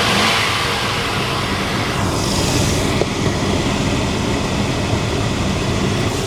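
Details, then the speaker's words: Chevy Tahoe V8 after sitting 7 years, mic at the engine, running after distributor cap and rotor replacement: smooth, even running with a bit of throttle, no misses, pops or knocks; engine healthy. "ሮተር ካፑን እንደምትሰሙት በጣም ስሙዝ ነው ያለው ድምጽ እንደምትሰሙት ነው ድምጹን በጣም አሪፍ ነው"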